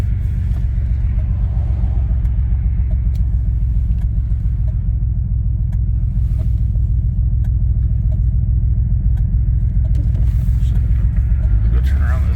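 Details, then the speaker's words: 1989 Pontiac Grand Prix Turbo McLaren during a drive after new plugs: low engine rumble stumbles and breaks up unevenly on any throttle, running rough and won't shift; owner suspects a misfire, cause unconfirmed. "yeah it sounds like we're missing or I don't know what's going on it don't sound good"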